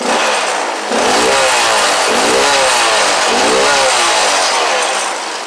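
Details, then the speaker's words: Grom clone single-cylinder motorcycle that idles great, revved a little: small single revs up and drops back in quick blips, crisp even exhaust note, no knocks or misses; healthy free revving. "But it runs good. It idles great. Let's rev it a little bit. Sounds basic."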